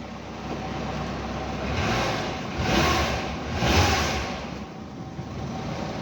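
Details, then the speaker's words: Daihatsu Hi-Jet van, 54,000 miles, parked about 6-7 years, started on a booster pack with old petrol after a few attempts: small petrol engine runs, throttle blips rise and fall smoothly, no knocks or misses; normal running after storage. "I just connected a booster pack up to it. And as you can hear, it's running. It took a few attempts to turn over, I will not lie."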